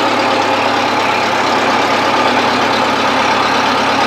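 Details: 1970s Bobcat 610 skid steer running after a choked cold start: loud, steady engine note with an even beat, no knocking or misfire. Runs smoothly. Owner plans to fix a broken seal.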